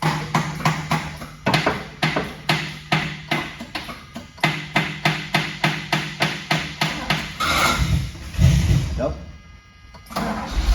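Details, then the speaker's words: DeLorean DMC-12 barn find, 977 miles, off the road about 18 years, starter just freed up: slow, uneven chugging cranking, about three pulses a second and fading, no catch; starter sounds weak. "starter sounds a little sickly but uh we'll see how they hands out"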